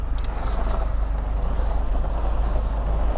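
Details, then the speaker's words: 2008 Suburban on its first test drive with a newly installed engine: deep, heavy, even rumble at steady driving, a coarse tractor-like note likened to a John Deere; power feels limited at half throttle, cause unclear. "it sounds like a tractor yeah it does a little bit it sounds like it sounds like a like a like a it sounds like a it sounds like a like your john deere"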